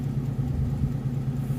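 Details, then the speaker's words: Early-80s Mustang with carburetor, at operating temperature, being fixed for sporadic stalling (fuel ruled out, spark suspected); automatic in gear, kickdown not hooked up: low, even idle around 400–500 rpm with no stumbles, down from about 1,000 in park. "And it's at proper idle now cuz I could never get it to idle around this 1,000 mark."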